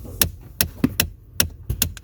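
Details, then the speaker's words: 2017 Ford Explorer HVAC blend door actuator, accessory power on, engine off: sharp repeated clicks roughly every 0.4 seconds; failing blend door actuator, replaced with part 604-241. "Okay. So that's the clicking, and then, oh, dang it."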